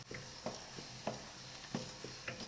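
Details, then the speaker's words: Used Mercedes OM441 diesel, stopped and turned by hand before teardown: light regular clunks from bearing play when passing top and bottom dead centre; otherwise rotates smoothly. "You can hear this replay when it goes past the top dead center and the bottom dead center."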